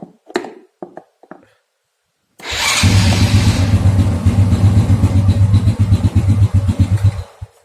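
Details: Honda Supra Fit New motorcycle with the starter circuit jumpered: a few clicks, then the starter spins and the engine catches into a steady, even idle of about four beats a second, showing the starter motor itself works.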